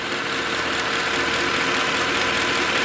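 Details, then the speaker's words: Mercedes ML63 AMG (W164) M156 V8, warm after a drive: smooth, even idle with a steady airy hiss and no ticking. Ticking occurs only after sitting long, typical M156 behavior. Normal healthy idle. "all right guys back home you can hear no ticking he's just from sitting for so long it's typical m156 Behavior so uh let's go check the engine bay she is sounds very nice and healthy"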